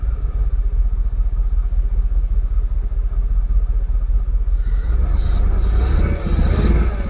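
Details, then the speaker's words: Jaguar XKR (X100) at idle, with multiple-misfire pending codes, restricted performance mode and open loop: a lumpy, stumbling idle that nearly stalls, then ragged revs rising, misfiring on several cylinders, cause unconfirmed. "let's see if we'll read um fault codes while the engine's still running M multiple sisire multiple multiple misfire oh no restricted performance is gone again so they're pending codes pending"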